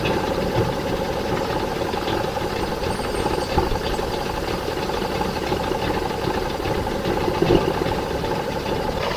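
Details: Circa-1985 Suzuki 85 hp two-stroke outboard with three carburetors, after syncing the carbs: steady, even idle with no misses, knocks or surging; normal idle.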